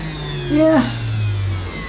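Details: Early-1990s Hitachi CV-790 bagless vacuum, 240 V, 1000 W: steady low motor hum, even, no rattle or labouring; normal running.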